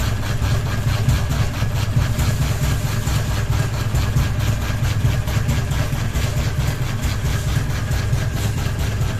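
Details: Ceiling fan running with only one blade and a ball hanging: steady low hum with a rhythmic wobbling thump about once a second; fan badly out of balance from missing blades.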